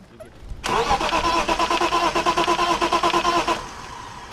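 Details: BMW 325is, owner looking at the fuel pump as a possible cause: the starter cranks steadily at about three turns a second for roughly three seconds and the engine never fires. Crank, no start.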